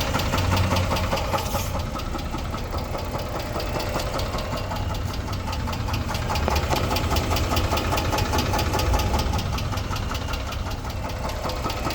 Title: 2006 Chrysler 300 3.5 V6 engine knock